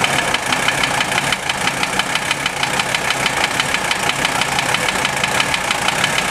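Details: Mercedes OM617 diesel swapped into a Toyota, warm idle (run 2-3 minutes, rough when first started): sharp, even knock keeping pace with engine speed; unchanged after valve adjustment and cracking each injector loose, owner suspects piston/connecting rod area, source unconfirmed.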